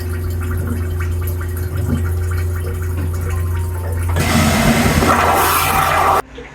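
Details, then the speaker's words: Aquila 32 Sport boat's marine toilet in the starboard wet head, normal flush with flush water adjusted: steady low pump hum for four seconds then rushing water surge cutting off cleanly; normal short flush. "so it's going to use more water during a flush so you can raise that amount of water or lower the amount of water just by playing with these buttons here let's take a look what happens with the three normal flush"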